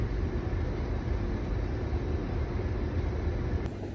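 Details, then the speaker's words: Air conditioner not cooling: steady low condenser fan rumble with no compressor hum, compressor not running while fan works normally; magnetic contactor likely fine, suspected failed capacitor or compressor. "อาการคอมเพรสเซอร์ไม่ทำงานนะครับพัดลมระบายความร้อนทำงานปกตินะครับ"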